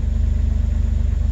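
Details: 2006 Jeep Wrangler TJ, 4.0 straight-six, nearly 238,000 miles, warming up on a chilly day after an oil pump drive and cam sensor replacement for P0016. Deep, even low thrum with steady firing pulses and no knocks or ticks. Normal idle.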